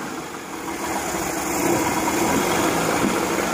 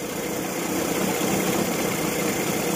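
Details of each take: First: Evinrude 40 hp outboard in a test tank, restarted after carburetor adjustment and leveling: steady, even drone at constant speed with a busy mid-range hum and no misses or knocks; running about as well as it will get. Normal running. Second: Evinrude 40 hp outboard after throttle synchronization, carburetor timing adjusted repeatedly: running just under 1000 rpm, fluctuating about 50 rpm, with a low hum that surges and sags slightly; uneven running.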